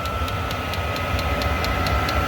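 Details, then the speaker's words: Diesel heater in an off-grid cabin, reinstalled after a full teardown and heavy soot cleaning. It runs smoothly with a steady combustion hum and a high whine, and the fuel pump ticks about four times a second. A little smoke is normal. "Now it's really giving a good run. Again, a little bit of smoke, which is quite normal."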